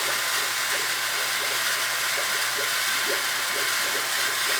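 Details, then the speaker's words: New oil boiler install while purging zones: steady rushing hiss with irregular gurgles over the circulator pump hum; trapped air still working out of the circulator pump, no leaks. "pump from hell over there. You hear all the air coming out of it. You can just hear the air."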